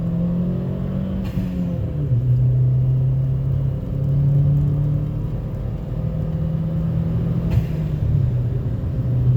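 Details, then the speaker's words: 2012 Chevy Sonic Hatchback Turbo with a new cheap eBay cat-back exhaust, heard in cabin at highway cruise near speed limit: steady mellow low rumble, not loud, no drone or raspy edge; normal exhaust note at cruise. "the exhaust is not loud at all it's dang you're perfect I think it's not - I think it's not raspy at all at least in the car"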